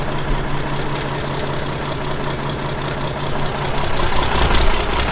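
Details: Ford 5000 tractor swapped to a 7.8 Ford Brazilian six-cylinder turbo diesel, on its first run: even diesel clatter ticking about four times a second over a low steady rumble, a healthy idle.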